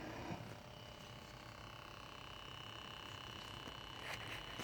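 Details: BMW 635CSi E24 at idle, HVAC off: faint steady high hum at the idle control valve over uneven engine beat; rough idle at cold and warm start; throttle body valve moves freely but dirty; cause not yet found.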